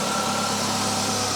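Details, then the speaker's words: Citroen CX GTi first start after head gasket work and valve clearance adjustment: steady, even idle hum with no knocks, ticks or stumbles; engine running smoothly. "The engine is running. That's nice. It's sounding really nicely also."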